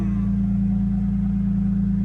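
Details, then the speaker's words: BMW E46 M3 idling after first start in almost two years following wiring repairs, engine management light still on: steady low idle with a rhythmic throb; the owner says something's not right, cause unknown. "the real question is has the engine light gone off now and can I uh can I hear the noise come on here the noise we still got an engine management light"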